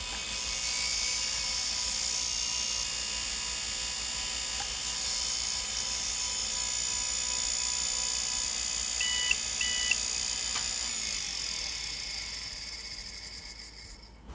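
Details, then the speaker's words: IBM PS/2 Model 30 hard drive after manually moving the stepper: steady thin high-pitched scraping/grinding hiss with whine over the spinning platters; heads rubbing the platter, drive likely dead (possibly dead all along). "the heads of rubbing against the platter and I guess this drive is now dead"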